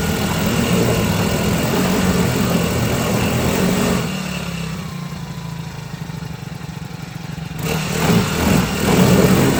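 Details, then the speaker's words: Cheap China-made 4-stroke outboard in a water tank during break-in, run after tightening fittings; runs smooth and even, settling to a steady idle then picking up cleanly on a few blips, normal running. "Okay, we're gonna start it up and run it. Let it run."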